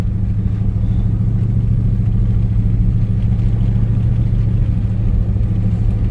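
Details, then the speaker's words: Old Chevrolet Silverado original engine after sitting about 1.5 years, fresh gas, while driving with poor vacuum: heavy low V8 rumble, uneven and lumpy, pulsing without steady beat; running rough, cause unclear. "dude it feels really good to be back in this thing even though it's running like crap"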